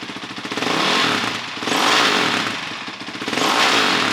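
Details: 2006 Honda CRF450X with a 450R head, rebuilt and running on electric start: a crisp single revs up and down three times, climbing quickly and dropping back cleanly with no knocks or rattles; normal running, revs super fast.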